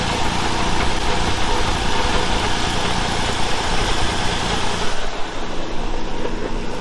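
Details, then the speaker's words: 2013 Ford Explorer leaking transmission fluid, told engine was shot, idling: rough loud rumble with a buried knock; source not pinned down, transmission suspected rather than engine. "there's a noise coming from somewhere y'all tell me what that noise come from now i'm thinking it might not be the engine that might be it might be the transmission"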